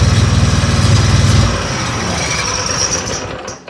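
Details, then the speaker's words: Husqvarna riding mower, Kohler 7000 series engine with new carburetor, fuel flow problem at the tank: catches and settles into a steady, even single-cylinder putter within a second, running cleanly. "Y'all hear him say fire in the hole. That's what it needed. It needs a fire in the hole."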